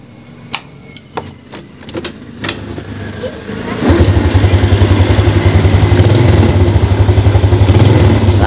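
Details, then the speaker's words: Yamaha Jupiter Z single-cylinder after repair of the one-way starter clutch on the magneto/flywheel: a few starter clicks, then it fires and settles into a steady, even idle; the earlier dok-dok knock is gone, with slight air noise remaining. "ya Langsung hidup Alhamdulillah repeh ya hilang teman-teman sudah hilang berarti bers suara dokdokdok tersebut benar-benar dari oneway dari oneway yang nempel pada magnet tadi ya"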